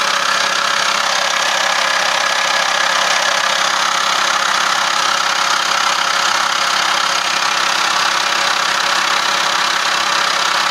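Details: At idle with the air conditioning turned on: a fast, even clatter of about three per second rides over the engine, a noise that starts when the aircon is on, cause unclear.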